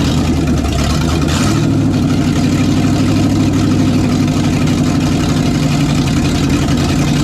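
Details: '67 GMC C10 with newly swapped 400HP small-block Chevy 350 with a little cam, first test run: deep V8 idle with mild cam lope, steady and even, no knocks, ticks or misses; healthy engine.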